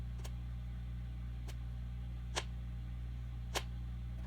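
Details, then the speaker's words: RCI 2950 Gen 1 radio after reset-switch soldering: four sharp isolated relay clicks over a steady low mains hum while stepping the mode switch to PA, no audio following; relay switches but radio stays silent, cause suspected, possibly CPU board. "Man, well, it's clicking. It's going to PA, and that relay is clicking over. I can hear it."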